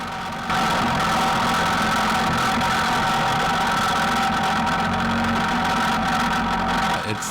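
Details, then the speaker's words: Restored Tomos A35 moped, performance exhaust, first road test, stopped at a light: buzzy small two-stroke idle with a steady metallic rattle from the gearbox side; rattle source undetermined. "everything still seems to be going well but right around here I'm starting to hear a sound I don't think you can hear it in the GoPro but you'll be able to hear it when I stopped at the light and there it is that rattle rattle rattle"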